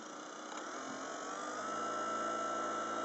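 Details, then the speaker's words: VorTech MP10 aquarium wave pump in a 34-gallon reef tank, constant mode at the highest speed setting: smooth hum with a thin tone climbing in pitch then holding steady, normal pump running. "okay so this is the highest speed you can go and hopefully you could hear the sound now"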